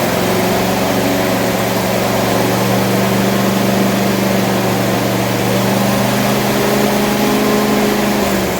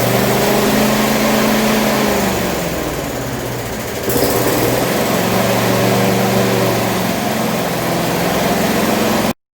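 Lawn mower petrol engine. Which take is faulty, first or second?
first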